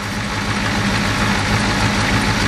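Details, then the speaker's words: Ford 6.9 diesel truck at steady even idle, low thrum, regular firing, no misses, no smoke from exhaust, after new injection pump installed following earlier injector and head gasket replacement for smoking. Normal idle. "And as you can see, it's running real real nice now. Doesn't mess or nothing. Doesn't smoke. runs real good."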